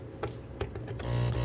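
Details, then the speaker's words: Aquarium air pump, lid off, after a part was replaced with a piece of silicone wire insulation: a couple of light ticks, then a soft, even low buzz with no rattle; it runs quietly again. "Oh, would you look at that? Nice and quiet again. Cool, that's about as quiet as it's gonna get."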